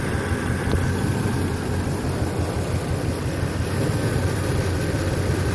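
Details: Toyota Tacoma at idle after an engine bay wash, low uneven lumpy idle with irregular pulses and occasional stumbles, misfire; worsened while driving, cause unknown.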